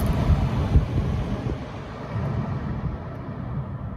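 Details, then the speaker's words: Toyota/Lexus CT200h A/C blower fan, back in the car after refitting the stator, which had moved forward on its bearing housing and caused a rattle. Steady airy rush at full speed with no rattle or ticking; fixed and running smooth. "Can you hear any noise? I can't. Sounds good, doesn't it? Alright, here we go. Full power. Oh, not a single rattle, eh?"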